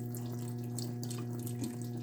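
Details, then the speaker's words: LG washing machine after repair of IE (water inlet) error: water rushes in at a strong, even flow over a steady valve hum, filling faster than before; normal water fill, inlet hoses and filters must stay clear. "as you can see there we already have a little more water than it was at the beginning [Music] it won't take as long as it was taking"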